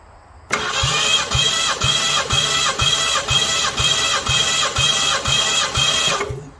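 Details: Ford Mustang 302 V8 compression test, pulled from barn, plugs removed: steady starter cranking with even compression beats about twice a second, no skips; other cylinders read 170 on #1, 160 on #5, rest 125–130.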